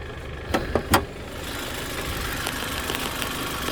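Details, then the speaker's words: 2005 Hyundai Elantra, 173,000 miles, at a dealer auction, missing its engine beauty cover, smoking under heavy acceleration and believed to be burning oil. A smooth, even idle with no knock or tick. Normal idle. "it's missing its beauty cover she still sounds good sounds real good but she's burning some oil i'm afraid"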